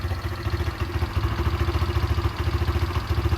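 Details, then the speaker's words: Derbi motorcycle, a non-runner brought back after carburettor and fuel tank cleaning and a new fuel hose: a steady, burbling single-cylinder idle with an even beat and no misses or knocks. Normal idle. "so yeah all right that's really um good going guys that's uh yeah i can hear it it's lovely no issues at all"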